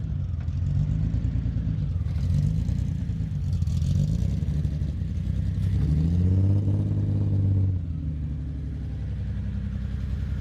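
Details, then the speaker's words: BMW E30 six-cylinder first running after a year sitting and drivetrain and wiring reassembly, battery jumped, injectors suspected: picks up smoothly through revs, returns to even idle with no ticking or knock. "I didn't get it on film, but it's running, baby. Let's go. Woo! So cool."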